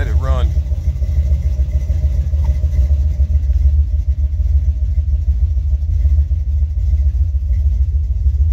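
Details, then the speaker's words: Buick 455 Stage-1 V8 in a Regal-T, after fixing the HEI distributor's defective coil bushing (new MSD low-resistance bushing), bad wiring and loose connectors, throttle gently pressed: a deep, lumpy rumble wavering a little in rhythm, slightly rough but steady. "car sounds like it's recovering from a bad cold I cautiously uh press the gas pedal there"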